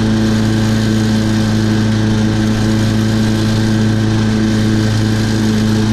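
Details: Toro Personal Pace 20333 mower, Briggs & Stratton 190cc engine, after replacing an owner-ruined carburetor with an aftermarket one and fitting the correct governor shoulder bolt: steady, even hum holding one speed without surging or hunting; running normally.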